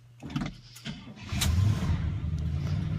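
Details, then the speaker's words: Cold start of the Oldsmobile "Sweet71" after two weeks of rainy weather, recorded with the window open: a few uneven cranking coughs and sputters, catching at about 1.5 seconds into a low rumbling idle. Owner notes slight thumping. Rough cold start. "we'll give it a try so kion one two three oh it sputtered come on"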